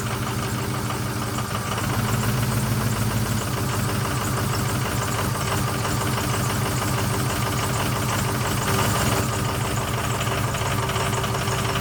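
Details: 2006 Ford F350 6.0L Power Stroke diesel, parked 2 years, after new fuel pump and sending unit: idling with uneven lumpy beat about three and a half pulses a second; rough running, owner suspects air in fuel.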